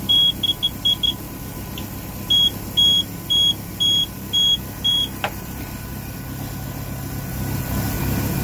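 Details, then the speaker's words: Volvo Penta 4.3 GL engine in a 2002 Four Winns Horizon 180, alarm beeping with normal gauges: high piercing beeper chirps then six steady beeps as a temperature sensor wire is shorted to ground; failed sensor replaced. "if you short the wire side to the ground side okay you know that that one's working try this"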